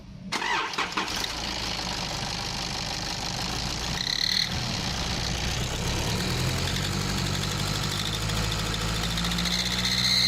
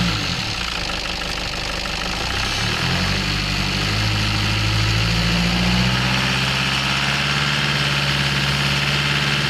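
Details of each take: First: Nissan Patrol ZD30 diesel, noise when accelerating parked or under load: idle, then an extremely loud piercing whistle climbing in pitch with each rev, traced to an exhaust manifold leak. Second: Nissan Patrol ZD30 diesel after replacing a leaking exhaust manifold that caused a high-pitched squeal on acceleration: revs up smoothly and settles, no squeal or whistle over diesel clatter.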